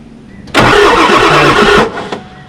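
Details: Ford F350 7.3 Powerstroke diesel, year unknown, sat 15 years in a junkyard: about a second of starter churning, turning over on brake-clean spray but never catching; crank no start.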